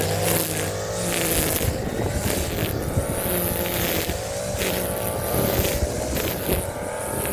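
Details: Warm Stihl FS 56 RC trimmer, after 20:1 mis-mix and cleaning of muffler screen and spark plug: crisp throttle blips picking up and settling back without stumbling; running properly.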